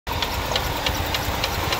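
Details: 2005 Chrysler Town & Country 3.8L, no misfire shown on a Launch X431 scan tool: steady knock about three or four times a second over an uneven, rough idle; source unconfirmed.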